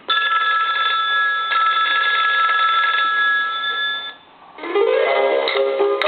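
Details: Coca-Cola animated polar bear telephone, initial checkout before repair: bright electronic ring melody plays steadily, then a short pause and a tune with motor whirr; ringer and animation work fine, though there is no dial tone.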